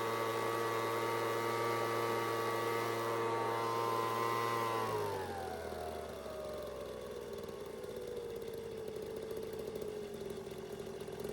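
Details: Homelite two-stroke leaf blower (high/low/off switch, no throttle): holds a steady high buzz, then drops cleanly to an even idle without stumbling; runs healthy.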